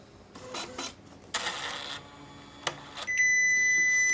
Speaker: when the printer runs out of paper you will hear beeping and the paper out indicator light will turn red